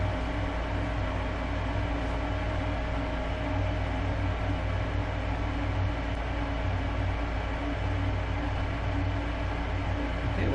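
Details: Lennox gas furnace after inducer motor replacement (old bearing failed), burners lit: steady even motor hum with smooth blower rush, no rattles or squeals; sounds much better, normal furnace operation.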